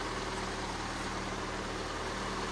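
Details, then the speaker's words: Car with a G4NA engine idling with a fast, low, buzzing rattle over the engine hum from the noisy manual gearbox, while the timing chain has quietened down. "Смотрим Саша уже смотрит всё течи слушает коробка шумит что-то"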